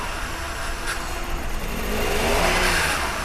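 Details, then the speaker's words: Maruti WagonR CNG revved: a lumpy, stumbling engine that shakes and lacks pickup, with the MIL on and misfire codes P0300, P0302 and P0303. "चालू कर, चालू करो, race कर। देख सकते हैं आप गाड़ी कैसे हिल रही है, इंजन हिल रहा है।"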